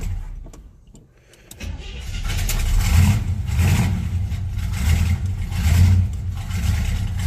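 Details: Monte Carlo cold start before fuel filter change: catches, then lumpy surging low rumble that won't settle; owner suspects fuel filter clogged by debris stirred up when tank was dropped, or failing fuel pump.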